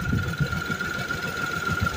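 Steady low idle with an even, soft throb and a faint constant high tone; no knocking or tapping, so the engine is running smoothly.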